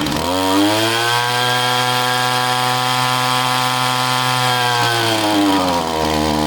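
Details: Echo string trimmer two-stroke powerhead: buzzes at steady high revs then sags and recovers unevenly, dies when fuel cap loosened; not tank vent but fuel pump not working fully, possibly impulse line or crankcase blockage; fuel pump failure.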